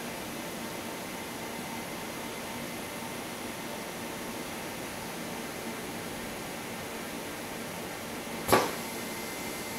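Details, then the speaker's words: Trion metal etcher load lock venting with nitrogen before opening: steady even gas hiss, then one short clack near the end as it opens; normal venting. "the sound of the nitrogen hissing out of the load lock and open sesame"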